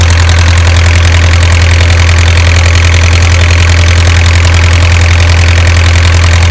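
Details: Isuzu 4BA1 85 hp diesel coupled directly to a 5-inch single-impeller pump irrigating a 20-rai durian orchard, pushing water about 800 m uphill; steady, even beat, deep low drone, no knocks or misses; normal healthy running under load.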